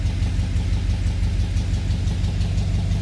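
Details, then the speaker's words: 1985 Ford Bronco V8, cold, just after a new distributor cap and rotor: steady, even low rumble at idle with no stumbles; tach more consistent and earlier misfiring gone; normal cold idle. "yeah that seems better already looks like our tack is a lot more consistent now i don't think we have the misfiring that we did before the truck is cold right now"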